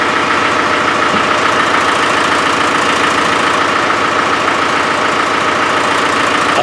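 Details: Land Rover 300Tdi diesel idling, hard to start, cheap parts suspected; steady sharp chuff about twice a second over the clatter, compression escaping past a glow plug; owner believes the chuffing comes from the glow plugs, hopes the seats are good.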